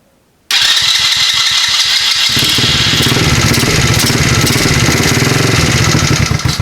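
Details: Chinese ATV with newly wired starter solenoid, start button and kill switch: brief crank, quick catch, steady single-cylinder idle about four seconds, then clean cutoff by the kill switch; healthy.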